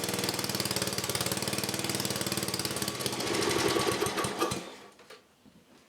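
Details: 1984 10HP Briggs and Stratton single-cylinder engine, just rebuilt with new rings and gaskets and reseated valves. It fires and runs with a quick, even beat around 220 per minute, then shuts down and coasts quiet, sounding healthy.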